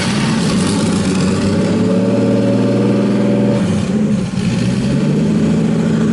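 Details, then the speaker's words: RB26-swapped Subaru WRX, started after an oil cooler and filter relocation install: it catches and revs but the note sags and hunts, stumbling toward a stall; the owner guesses the tune or air-fuel target; stalls after start. "all righty ah then I go dying I don't know why"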